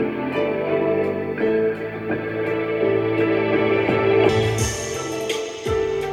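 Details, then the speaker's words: Pair of 1990s Mission 752 Freedom floor-standing speakers before repair: organ music sounds dull and muffled with almost nothing in the top end; owner hopes replacing capacitors will fix it. "yeah it sounds like i'm under water like the mission speakers they sound like you're listening to them under water um that's not good"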